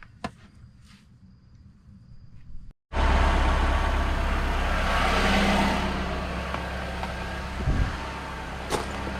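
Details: 2011 Nissan Altima 2.5 SL after downstream catalytic converter with flex pipe replaced for code P2423, new gaskets, heard from under the car: catches after a brief crank and settles into a steady even idle, low exhaust drone, no leaks or rattles; normal idle.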